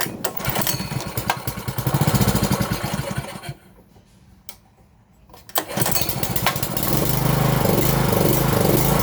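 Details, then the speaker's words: 5.5 hp petrol water pump engine after a carburettor clean (it would not start before): it hunts and surges unevenly, dies when throttled back, then runs rough. The idle speed screw needs adjusting. "ครับพอเราผ่อนเครื่องลงเครื่องก็ดับนะครับท่านคงจะเห็นแล้วนะครับว่าตอนที่เราสตาร์ทเครื่องเครื่องมันเดินไม่เรียบเลยนะครับเครื่องจะเดินไม่เรียบ"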